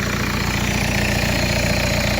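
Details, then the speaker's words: Audi A4 B6 TDI Quattro at idle: loud sharp puffing chuff over the diesel beat; suspected exhaust leak at the manifold flexi joint, with three bolts missing or broken. "I think we've got an exhaust leak here at the manifold. I say the manifold at the flexi."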